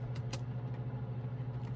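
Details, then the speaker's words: Victron MultiPlus II 12/3000 inverter on 12 V lithium after disconnecting a 2 kW wallpaper steamer load: smooth low hum with fan rush, no rattling; the ratty noise appears only under load at 50 Hz and disappears at 60 Hz. "Disconnect the load. It's all gone, but the fan's still running."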